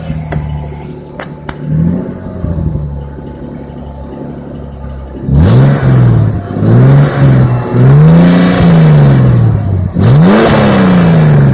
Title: Xr6 turbo engine knock slap